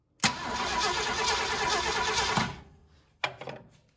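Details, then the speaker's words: 1968 Ford Galaxie 500 with 390 V8, sat about 13 years; after fuel reached the carburetor, starter spins engine steadily about two seconds without catching: cranks but no spark. "okay so pretty out we're not getting any Spark so let's dig into that and see what's going on"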